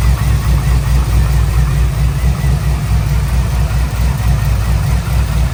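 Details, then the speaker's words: LS V8 in a Trans Am WS6 with heads, cam, long tube headers and new valvetrain, cold start after cooling: deep, steady idle, even exhaust pulse, slight piston slap fading as it warms, earlier valvetrain tick gone, likely lifters needed oil. "To me, it sounds like the normal long tube header noise and injectors and then just LS stuff. You hear a little bit of piston slap, but it's kind of going away now as the engine warms up. But guys, I think we're good. I think the noise is completely gone."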